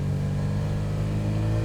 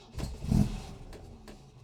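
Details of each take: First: Supercharged MGB with new supercharger camshaft, on the road building from 2,000 rpm: smooth, steadily climbing note with supercharger wind-up; boost arrives earlier than the previous 3,000–3,500 rpm and more progressively, though timing still isn't right. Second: Supercharged MGB, first start after engine pulled, oil leaks fixed and supercharger camshaft fitted, wet cold day: irregular harsh clatters and grinding during cranking before it catches; owner suspects faulty starter motor pinion gear throwing in and out.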